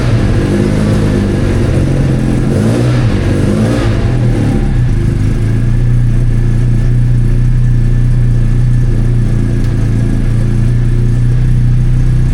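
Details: Freshly rebuilt Classic Mini race engine, final drive changed to 3.1, before its first test session; strong even note, steady low firing and clean rev blips, no knocks or rattles; healthy.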